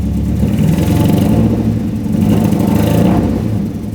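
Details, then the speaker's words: Nissan 240SX petrol engine first started after sitting almost a year: rough, lumpy, wobbling idle stumbling when revved; bad misfire, owner unsure of cause, distributor cap and rotor ordered. "It's misfiring really bad. You can see it and you can hear it, but it is it is idling. Yeah, it's just not great."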